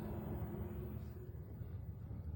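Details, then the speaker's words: MZ Au Focus 2 kW diesel heater fitted under the bed of a Montana Off Road caravan, in its warm-up cycle. A low steady fan rumble with a faint tone builds as the fuel pump ticks in; normal start-up. "now if you listen you can probably hear the pump starts to wind up a bit put fuel"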